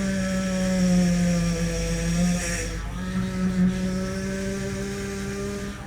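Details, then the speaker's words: 2007 Range Rover Supercharged (L322) at idle during bleeding after high-pressure power steering hose replacement: droning whine shifting as wheel turns lock to lock; foamy, bubbly fluid with air causing pump noise. "Okay, it's making some noise. There's still bubbles in here."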